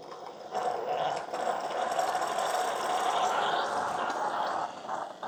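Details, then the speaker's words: Keurig K-Supreme with its covers off, end of an 8 oz brew: the air pump hums steadily for about four seconds, then stops. A normal purge of the tubing from the tee to the brew head. "so there i hear the air pump kicked on so it does kind of run the it kind of cleans out that tubing you know at least from that t it cleans it out all the way to the brew head"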